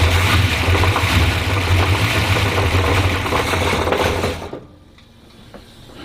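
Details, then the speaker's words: 1967 Pontiac GTO V8 idling, long unused: rapid loose clatter three or four times a second, then shut off; cause found to be loose flex plate to torque converter bolts. "flex place loose it was oh [ __ ] it is flex plate through the converter yep oh [ __ ] i hear it see i knew it sounded like something loose"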